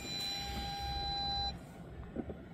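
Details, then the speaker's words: 2007 Audi A4 B7 Avant in reverse with nothing behind the car: steady unbroken high parking sensor warning tone about 1.5 seconds then cuts out, persisting longer than before; false continuous parking sensor warning, cause not confirmed. "nu știu ce vede în spate pentru că nu e nimic în spate"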